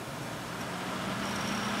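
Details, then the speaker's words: Antec three-speed case fan in an Atom D525 home server with four hard drives, switched from low to high; a steady rushing whoosh climbs a little as the fan spools up, with a faint tone; the fan gets quite loud on high. "it can get quite loud"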